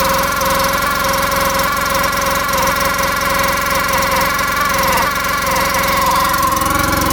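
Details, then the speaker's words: 2014 Polaris RZR 800, sat in a field for years with milky oil from coolant mixing, jump-started: steady idle with a constant scraping squeal over it; the clutch is rubbing on its plastic cover, though the seller blamed a tight new belt squealing. "Yeah, something doesn't sound right. They said there's a brand new clutch on here, too. Oh man, does that sound bad."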